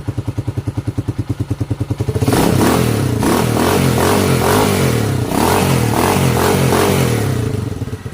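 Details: Rebuilt Honda TMX 155 single-cylinder engine, previously noisy and leaking oil, first start after reassembly: even idle thump, then clean revving and smooth running.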